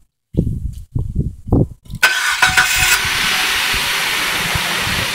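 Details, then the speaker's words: Chrysler 2.7 L engine after water pump and timing replacement, before a later head gasket failure: a few slow cranking chugs, then it catches at once and settles into a smooth, steady idle with no knocks or misses. "great doesn't it starts right up runs great it's in some good condition it really is"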